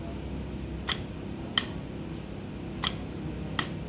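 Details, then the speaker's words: Healthy oil pump solenoid valve bench-tested on a 14 V power supply for comparison with a failed one; four crisp clacks in pairs over quiet hum, snapping in and spring-returning to default position when unplugged; normal solenoid valve click. "This is how it's supposed to work, one healthy solenoid valve."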